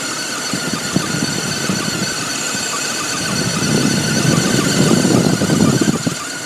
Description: 2002 BMW 530i, has a high pitch whining noise on a cold start. Happens occasionally.